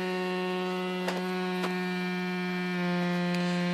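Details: VOX AD30VT guitar amp: loud buzzing hum pulsing about four times a second, surging near the end as power is cycled; 7815/7915 voltage regulator (IC5/IC6) overheating caused the motorboating, fixed by replacing the regulators.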